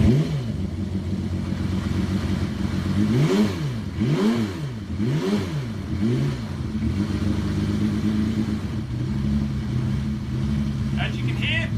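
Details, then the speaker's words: Motorcycle with water impeller seal and oil seal replaced, no leaks; quick throttle blips rise and fall cleanly, then steady even idle with no misfire; idling perfectly, healthy. "he's idling perfectly and in high revs, performing absolutely beautiful."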